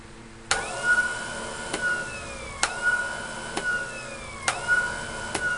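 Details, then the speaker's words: Homemade electric cart with turbo/overdrive switching via heavy-duty solenoids (24 V, with 36 V in turbo) after smaller switches burned out: sharp contactor clicks every two seconds, each followed by a rising then sagging motor whine; engages normally. "just like it's supposed to I think we have Turbo"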